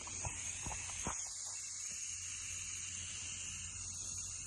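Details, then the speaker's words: 1990 Honda XR250 timing chain job, torch aimed at a stuck bolt: soft, steady high hiss of escaping gas with faint clicks and no flame roar. The torch releases gas but goes out every time it is moved away. "Every time I take it away, it turns off. So I can't even put in gas or heat on this bolt to be able to check if it's going to break or not."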